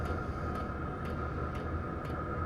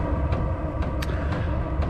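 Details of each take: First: Diesel heater after fitting an aftermarket quiet fuel pump in place of the loud stock one: soft, even ticks about twice a second over a steady fan hum; normal and much quieter. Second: Diesel heater running with its original fuel pump: sharp ticks about twice a second over a low combustion rumble; loud fuel pump ticking, fixed by swapping in a quieter aftermarket pump.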